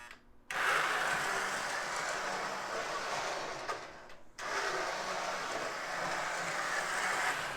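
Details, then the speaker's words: Lionel #41 Navy switcher, a known "growler", reassembled with body on after cleaning and inspecting armature and worm gear: smooth even motor whir, no grinding, no louder than the Army switcher; slight noise on initial throttle; normal running. "i'd say it doesn't make any more noise than the black army switcher makes so i think that's uh that's a that's a victory right there"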